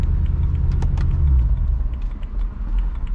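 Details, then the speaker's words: BMW M3 on the freeway with the check engine light on, a week after throttle actuator replacement: a deep, uneven rumble that surges and sags as the engine stutters and loses all throttle response; the alternator had failed. "yeah right as i cut the video it just stuttered so hard"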